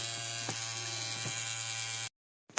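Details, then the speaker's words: MSI Katana GF76 laptop cooling fan gives a steady, coarse vibrating buzz with a strong low hum after cleaning and thermal paste replacement; this vibration was the original complaint, and cleaning found nothing clogged. "То, что он так вибрировал, это и была проблема у моего друга."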